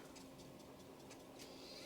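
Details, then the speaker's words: Quadra 700 floppy drive, replacement drive after restoration: light evenly spaced mechanism ticks, then a quick rising whir as the disk comes out; eject now works properly after needing help on an earlier try. "yes and it eject works properly"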